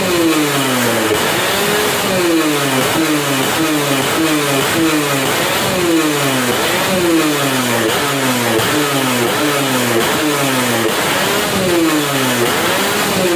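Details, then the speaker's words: Yamaha F1ZR two-stroke after porting: crisp revs rising and falling about once a second, picking up cleanly and quickly each time; responsive, full top end, healthy. "hei seperti itu suaranya ya udah biasanya responsif padat atasnya juga ngisi"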